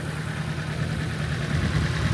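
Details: Nissan S13 at idle, shaking and smelling fuely (injector possibly stuck open): low uneven idle with a stumbling irregular beat under a steady drone, one cylinder (thought to be cylinder 2) dropping out; coil packs to be swapped to isolate coil or injector.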